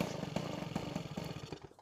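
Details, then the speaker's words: Peugeot 103 SP moped with a newly wired DD engine: high two-stroke buzz with quick popping exhaust pulses, then the revs fall away. It seems to pick up too early. The owner is asking why; the cause is unclear. "si vous avez une idée de pourquoi lombrail aussi vite"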